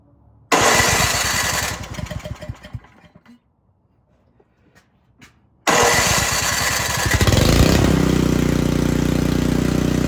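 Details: Craftsman snow blower that sat unused, after installing a new carburetor and shortening the fuel line, kill switch not yet connected: cranks, catches, dies back, then fires again and settles into a steady even run; starts properly.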